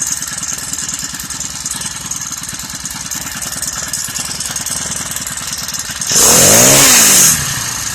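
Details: Honda GXH50 49cc four-stroke, unrestricted with Honda flywheel and ignition coil, run before the clutch install: buzzes along at an even quick pulse, then a brief clean rev up and back down; smooth and healthy.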